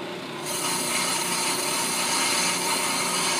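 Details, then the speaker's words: Brake drum machined on an Ammco brake lathe: slow-speed finish cut about 2 thousandths of an inch deep, taking twice as long as a fast cut. Even, steady scraping hiss of the tool, no chatter or squeal; a clean, normal finish cut. "now you can hear it making that cut on a slower speed it's going to take take um twice the amount of time that it would with your fast tou"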